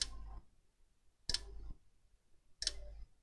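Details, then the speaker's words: HP 15-r101na dead laptop board, bench supply at 19 V about 2 A on the connector: sharp click about every 1.3 s as the supply hits a shorted rail after a shorted MOSFET and cycles in short-circuit protection. "yeah that's because of this mosfet"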